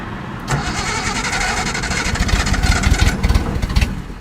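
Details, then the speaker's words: 1972 Datsun 240Z carbureted engine with mechanical choke, fuel poured down the carbs (two-stroke mix): ragged cranking with sputtering half-catches and uneven surges that never settle into a run; possibly flooded, hard start. "I think I flooded a little bit. There we go. It's trying. It is trying."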